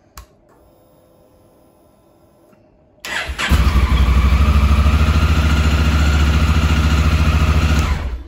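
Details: 2017 Honda Africa Twin, 11,000 miles, after cleaning the carbon-fouled starter button switch that caused start-then-stall: starter bites and the twin fires within half a second, settling into a strong, even idle; normal start.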